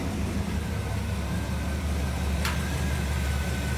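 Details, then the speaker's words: 1959 Pontiac Catalina after a carburetor fix, misfire gone, 60 psi oil pressure, idling outside before warm-up and mixture adjustment: steady, even low rumble with no misses, knocks or ticks; normal idle. "All right, guys, as you can see, and maybe hear, it's outside running. I'm pretty sure it's fixed. We're good to go."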